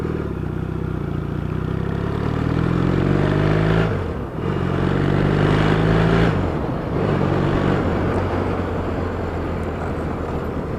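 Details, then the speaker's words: Yamaha XS650 twin, pipes with holes drilled in the baffle ends; deep even exhaust burble swelling with two throttle blips, then steady healthy idle. "So, this is the uh the same pipe, different bike, the same uh style of pipes, but this one's had holes drilled in the ends of the baffles, which makes it sounds much"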